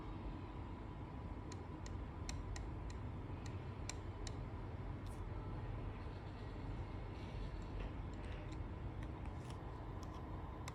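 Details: Sharp dry clicks, about two a second, over a steady low hum from a WD hard drive giving "no bootable device found"; fix attempts failed.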